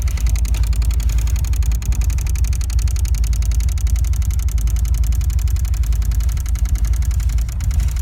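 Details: 1999-2000 BMW E46 318i, M43TU B19 engine, idling very roughly with heavy, uneven low thumping at about 220 per minute. It lost power suddenly at higher rpm and now dies on throttle, with the fuel pump relay clicking on and off. Pump, filter and relay were replaced; no fault codes. Cause unconfirmed.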